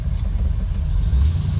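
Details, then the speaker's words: 1978 Corvette V8 with lumpy camshaft, idling in neutral at a red light: deep, uneven rumble that sags and stumbles as idle drops to 600–700 rpm, too low for this cam. "see there it's dropping down to 600 uh 650 to 700 and with this cam shaft that's really that's really not enough"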